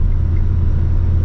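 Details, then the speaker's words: 1961 Ford Falcon with mechanical cam, valves set to 0.018 in cold (spec 0.016 hot), after tune-up and carburetor rebuild: even engine rumble with only faint, normal rocker arm tick, not loud. "and they sound it sounds great it does you can't hardly real you can hear a little bit of uh rocker arm not much it's it's normal it's not loud at all honestly you don't even sound like it's a mechanical cam"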